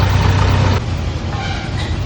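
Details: Hyundai Verna while driving: deep, steady droning hum under road noise, the low growl of a worn wheel bearing.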